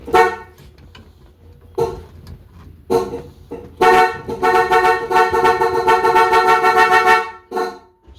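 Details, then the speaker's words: 1965 Ford Mustang with rebuilt 289 V8, ignition on before first start: horn blares in short bursts, then one long unbroken note that won't quit; stuck horn, suspected fault in the reproduction horn button contacts. "we got horn. Ah, it's possessed. So something's messed up in the horn contacts."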